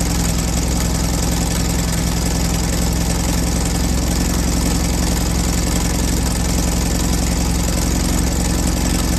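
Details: 1968 VW Baja Bug air-cooled engine after timing adjusted with a voltmeter to cure backfire: steady, even idle with regular low beat, no pops or stumbles.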